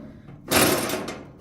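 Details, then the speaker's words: Whirlpool/Maytag electric dryer, drum removed, support roller spun by hand: short gritty scraping whirr; rollers ground down, one noisy, another stuck; worn dryer drum support roller. "And that shows that my assessment of that pencil causing that issue was completely wrong, because these rollers are completely grounded down. And this one right here is making a noise."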